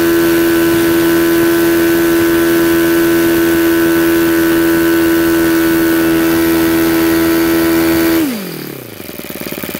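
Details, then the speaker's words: Supercharged YS FZ-63S glow engine after rebuild with new throttle barrel seal, APC 12x8 prop, 15% fuel, full throttle about 10,000 rpm: clean, steady high-pitched scream dropping smoothly as throttle closes; running well. "ys FZ 63s she's running sweet and you do want to tune these so they're about 500 RPM beer below peak and run them there"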